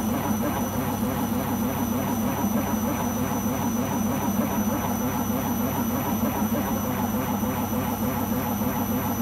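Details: Beko washing machine during the spin cycle: a loud, steady roar with a dense rumble, holding level through the whole spin; the owner suspects the rubber behind the drum, cause unconfirmed.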